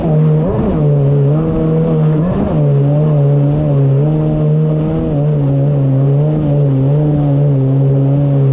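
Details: 2019 Yamaha GP1800R WaveRunner, supercharged 1.8L, under load on the water after supercharger clutch replacement: strong steady note climbing and settling smoothly with throttle, no misses, rattles or slipping; running normally.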